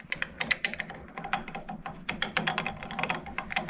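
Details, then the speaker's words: Harrison L6 12-inch lathe at 1,000 rpm, clutch repaired and engaged: quick irregular light clicking and tapping from a clutch plate with elongated pin holes rattling; springs on pins planned to stop it. "Now that rattle you can hear, one of the plates is got elongated holes, so it's rattling. So that rattling is this plate."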